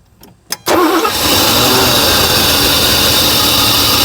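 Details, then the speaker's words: 1984 Mercedes 500 SEL AMG after sitting 27 years: a few cranks, then it catches and holds a steady, fairly fast idle only while a fuel line is cracked open; tightened, it dies instantly; fuel pressure regulation suspected. "and then it dies out when i create a fuel leak at this line right here the engine starts and runs as soon as i tighten this up it's just dead like an on off switch"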